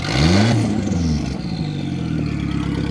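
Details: High-boost drift project car at a 2017 track event, after a bent fuel line that starved the engine was fixed and a new fuel pump fitted. It revs up cleanly, then drops to a steady, even idle with no stumble: normal running and revving.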